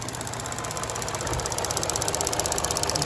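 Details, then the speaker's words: 2012 Chevy Cruze 1.8L non-turbo after valve cover replacement for a ruptured PCV diaphragm, fuel trims near zero: quick light ticking, about four per second, over a steady idle as purge enables; purge solenoid cycling normally. "It's your vent, or not your vent, your purge solenoid."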